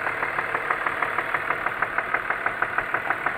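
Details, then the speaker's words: BMW E39 with M54 engine at idle: sharp, even knock about three times a second over steady idle; owner suspects around cylinder three, checking by disconnecting cylinders one by one; oil also seeping from valve cover. "Стук откуда-то от третьего цилиндра, что ли, блядь."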